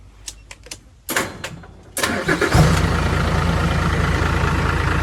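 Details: Diesel engine, weak on power with dirt-contaminated fuel, after fitting new fuel filter and bleeding fuel lines: a few separate cranking bursts, then catches and settles into a steady, even idle, starting cleanly.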